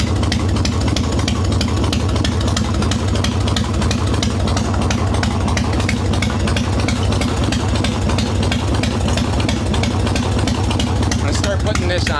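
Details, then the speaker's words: Harley Evo Softail V-twin, carbureted, after fixing loose intake bolts and cracked vacuum cap, untuned mixture screw, set by ear: loud even beat about three pulses a second, no misses or rattles; normal idle. "it's holding a dead quiet Idol I don't like running them like this though actually really impressed that it's doing that on an untuned mixture screw"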